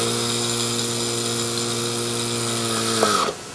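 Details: Worn Whirlpool rotary vane compressor, reassembled with motor bearing completely shot, kick-started by switch: steady whirring hum that sags and drops in pitch, then cuts out; motor labouring and stalling on worn bearings.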